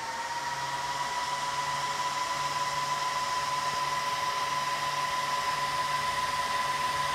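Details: Dell PowerEdge R210 server power-up: loud steady rush of air with a constant high whine that never varies; fans running flat out at start-up, normal.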